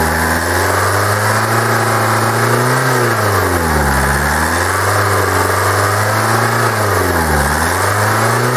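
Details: Kia 2.0 CRDi Bosch common-rail diesel, hot, with the fuel metering valve unplugged: engine runs on with revs dipping and recovering, no sharp clatter; knock quiets, suggesting the metering valve, not confirmed.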